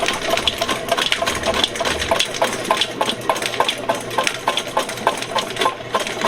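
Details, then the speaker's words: VEVOR 75 ft x 1/2 in auto-feed drain machine in forward, feeding cable into a sewer line: steady motor hum with an even rhythmic clatter of about 100 a minute, no bogging or jamming; normal auto-feed operation. "keep my hand right here guys because I want to feel what's going on these things starts getting stuck I want to let off that switch immediately going good so far"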